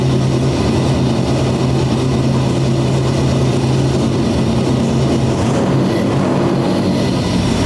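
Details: First startup of a 427ci single-turbo LS V8 in a C6 Corvette drift build, no throttle; deep steady even rumble, no knocks or misses; healthy running.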